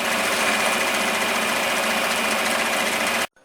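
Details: 1946 Victor model 40B projector being restored: it was gummed up and freed by oiling. Steady, fast, even film-drive clatter with no catches or knocks. The mechanism runs smoothly: normal running.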